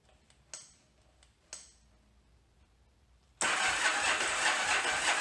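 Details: 1981 Yamaha Virago XV920 after carburetor rebuild, spark confirmed: two clicks then slow, strained cranking that never catches; starter working very hard, cables getting hot from high current draw, compression seems okay; cause suspected, not confirmed.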